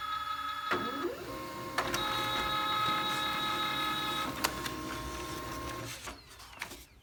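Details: Pantum 6500 multifunction printer after replacing the failed cartridge that caused knocking: steady motor whir with paper-feed clicks and a smooth run-down at the end, no knocking; printing normally.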